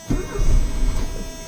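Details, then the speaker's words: 1985 Mercedes 190E 2.0 Euro-spec 5-speed manual, first start, with gas added to the carburetor: the starter cranks with uneven low chuffing as it tries to catch but does not run yet (fuel starvation). "And you can hear it wanting to start there."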